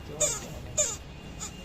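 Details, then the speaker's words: Microwave oven fan with a dusty blade: sharp high-pitched squeaks about every 0.6 seconds over a soft fan hum from dry, rusted motor bushings; oiling them fixes it. "इसके बुस बुस में क्या है ज मतलब बहुत ज्यादा जं खा गए हैं इसी वजह से ये आवाज कर रहा है"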